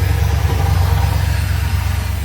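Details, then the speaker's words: 1984 Ford E150 Econoline camper van V8, parked since 2019, running off a boat tank, warmed up: deep, steady burble with an even exhaust pulse, no misses or ticks; healthy warm idle. "sounds pretty damn good for a rig that's been parked since 2019"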